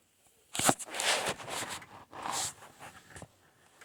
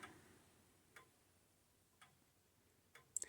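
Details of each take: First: so if it's tick tock tick tock tick tock then that's out of beat and it sounds like mine might be a little bit out of beat ticktock tick tock tick talk so Second: Old-style grandfather clock after turning the beat adjustment: quiet ticks about once a second with equal tick and tock intervals; the clock is now running in beat.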